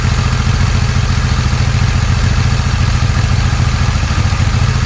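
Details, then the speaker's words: 1981 Yamaha XS850 Special during carburetor synchronizing, gravity-fed from an overhead tank, no choke, breathers off. It idles a little heavy and high, around 1500 rpm, with a steady, even, slightly lumpy beat and no misses. "Now it's idling a little bit heavy, a little bit high. It's idling right around 1500."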